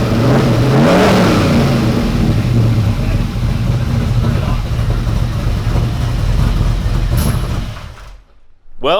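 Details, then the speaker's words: Ford F150 prerunner V8 after the fuel pressure regulator issue was fixed, battery charging at 14.6V: a deep, even burble with clean throttle blips that settle smoothly. Normal idle and revs, no longer running rich or misfiring; a tune is still pending. "as you can see this truck is running a whole lot better now we're not having any issues with it running rich or misfiring"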